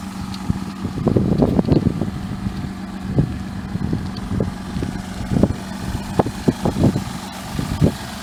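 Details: 2000 Mazda MPV 2.5 L V6 idling rough, with irregular puffs and ticks from an exhaust manifold leak plus an engine misfire.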